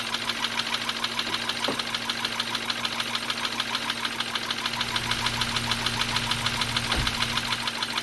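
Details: 2013 BMW 328i F30, N20 twin-turbo, 122k miles, diagnosed with a blown head gasket; test run after cleaning parts and fitting fresh oil and filter. Steady idle with a regular ticking knock about three times a second; fault suspected in the head.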